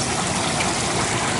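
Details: 15-year-old Carrier water-cooled units not operating, with the cooling tower completely dry and no water circulating: constant hissing, gravelly rush with no pulse. The pump is cavitating with no water.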